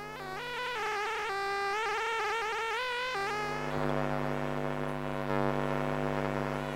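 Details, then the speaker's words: Sega Saturn console with horizontal screen lines and failure to read discs after being turned off and on; harsh electrical buzz with shifting whiny tones from the power supply area, reacting to the disc drive's blinking access LED; cause suspected, not confirmed. "well it's definitely in the power supply area and it seems to correspond to the disk drive as the sound reacts to the blinking access led"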